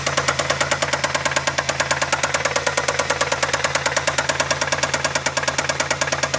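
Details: Engine at idle: sharp, even heavy metallic knocking about twice per second, felt through the dog bones; owner suspects a bad rod bearing.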